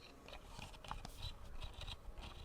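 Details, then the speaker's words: A wireless mouse's scroll wheel gives irregular creaky scrapes and squeaks in quick bursts as it is turned; the owner suspects the plastic is creaking, not confirmed. "the wheel sounds horrible it squeaks it's so embarrassing because like everyone anywhere like when I'm using this they're like what is that what's that sound"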